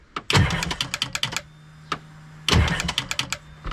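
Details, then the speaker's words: 2005 Sea-Doo supercharged jetski with new battery and reassembled solenoid: two bursts of rapid dry clicking, no crank; jumping the solenoid failed, starter won't turn the motor, being replaced. "All right, guys, so I just tried jumping the solenoid, did not work. Starter will not turn this motor over."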